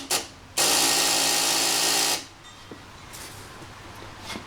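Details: 2009 Kawasaki KLR650, original battery, after a 600-mile ride then parked overnight, in neutral with choke on: thin starter whir for about a second and a half, dash light dimming, then drops without catching; weak cranking, owner suspects weak battery.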